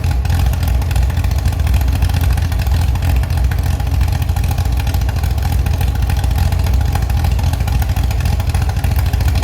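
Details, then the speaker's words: Restored Chevy SS engine with a non-original cam, first start after rebuild following oil priming: strong, steady low rumble with an even beat, no knocks or ticks, and good throttle response; normal running. "Yes, very good, I have already managed to revive the Chevi's engine again. You can hear it and it sounds very good. It even has a very good reaction."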